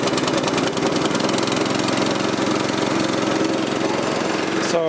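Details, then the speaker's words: Troy-Bilt tiller repowered 14 years ago with a 6.5 HP 212cc Predator single-cylinder engine, which would not start because of a bad spark plug, after fitting a replacement plug: fires evenly and runs smoothly at steady speed, then cuts off; runs fine. "Sounds like it's running fine."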